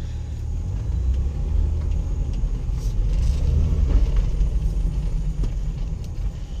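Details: Mitsubishi Pajero V6 3.8 gasoline on road test after fuel pump replacement for lack of power, stalling and exhaust backfire; even steady low rumble under load with no misses or pops; normal running under load.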